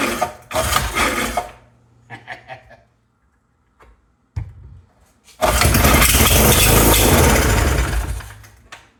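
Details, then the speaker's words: 1975 Briggs & Stratton 3hp horizontal-shaft engine on fresh fuel, pull-start cranks turn over but never catch; owner suspects the fuel pump diaphragm isn't pumping or the fuel pickup is bad, causing fuel starvation. "curious to know if the diaphragm is actually pumping or not could be that that pickup I didn't pull that pickup out maybe it's maybe it's bad"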